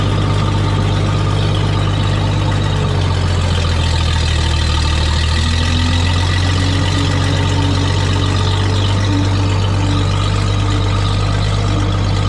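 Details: Old tractor idling at about 7:30 am: deep, even idle with a steady low thrum and no knocks or misfires. An earlier slight miss and high idle cleared after running, possibly spark plug deposits. Normal idle.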